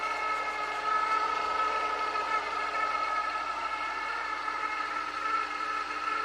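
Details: Honda S2000 engine bay: thin steady whir with a high ringing note, grinding/whirring rising in pitch with rpm; suspected serpentine belt, but still noisy after replacing auto tensioner and pulley; source not found.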